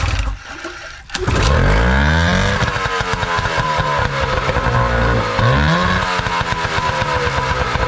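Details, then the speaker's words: Older Nissan (Tohatsu-made) 18 hp two-stroke tiller outboard after carb cleaning: starts after a couple of pulls with choke and primer bulb, revs, dips, then settles into a crisp even buzz; running well. "see if the fires back up here I'm telling you these older Nissan they always seem to run people tend to overlook them"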